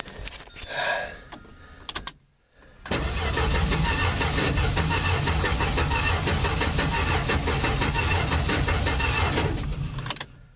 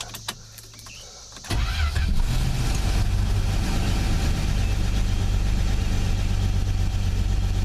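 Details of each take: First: Plymouth Valiant engine of unknown condition, first start attempt: even cranking about three beats a second for seven seconds, never catches; no ignition spark. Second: Forgotten Plymouth Valiant restarted on added gas, watching oil light go off: brief crank then steady even idle, low rumble, no knocks; sounded okay.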